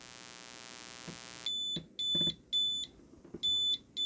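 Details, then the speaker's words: WEIZE 2000W inverter on a 12V 100Ah LFP kit: input raised past about 15.5V exceeds the upper voltage limit; steady hum cuts out, then half-second beeps repeat each second as output shuts off immediately (over-voltage alarm). "So right now we exceeded the upper voltage limit, and you can see the output gets cut off immediately."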